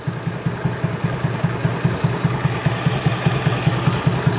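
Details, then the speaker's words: Honda Beat carburetor scooter after the automatic choke problem is addressed: a steady, even idle at about 2.5 pulses a second with no hiss. The engine keeps running with the intake hole covered, a normal idle. "Kita ulangi kembali untuk bagian dari lubang ini, meskipun kita tutup, namun ini masih normal ya, mesinnya masih hidup dan tidak mati seperti tadi ya."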